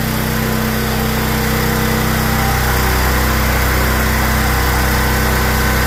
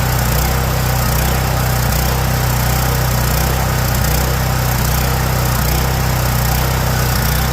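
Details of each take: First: Small generator with a 390 carb that had been surging, after its clogged idle jet was cleaned (ethanol fuel blamed): a steady, even hum with a regular beat and no hunting, idling smoothly. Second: Generator with Kohler engine, baseline before repair, surging power: idle hunts up and down about once a second, never settling; surging at idle.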